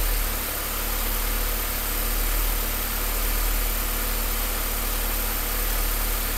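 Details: Low, steady idle with a slightly uneven, loping pulse underneath and no clear knock; rough idle, cause not evident.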